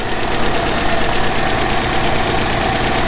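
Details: Revived abandoned Mazda 929 HB coupe being heat-cycled up to temperature after fixing a rusted Welch plug in the block, which isn't leaking; even mid-pitched idle hum, no misfire or knock, no smoke after earlier flooding. Normal idle.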